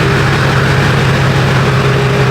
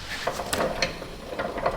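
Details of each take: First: Duramax truck test drive after a repair with 75W90 synthetic in the rear end: steady engine drone, no squeal or clicking even in hard right turns; the destroyed part was the cause and is now fixed. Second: Duramax truck, front wheel turned by hand: a few light, irregular clicks and clunks with play felt as it rotates, though the wheel bearings are thought fine and the slip yoke checks out; clunk when wheel is rotated, looseness in the front driveline suspected.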